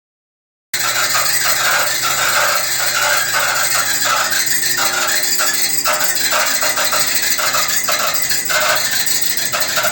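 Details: Maytag dryer running: a harsh, scraping screech pulsing about one and a half times a second over a steady tone; screeching noise.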